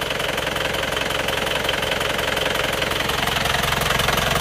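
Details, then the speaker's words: Isuzu Panther pickup diesel before repair, cold at 35 °C just after morning start: steady clatter of about four beats per second with a coarse chuff and smoke, judged compression blow-by rather than oil vapor. "Jadi ini sudah kelihatan jelas bahwa ini adalah bocoran kompresi bukan lagi uap oli ya."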